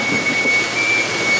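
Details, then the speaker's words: Potato washer loaded with freshly dug potatoes: high steady squeal over the washer's rush, caused by the heavy potato weight on the washer; harmless load squeak. "you hear that squeaking that's just a lot because all those potatoes are a lot of weight on the washer but it's not going to hurt nothing"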